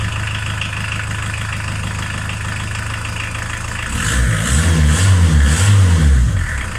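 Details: VW T3 Vanagon 1.9 diesel fitted with a 1.6 injector pump, warm after a drive: steady, even idle clatter, then a clean rev that rises and settles. Normal diesel idle.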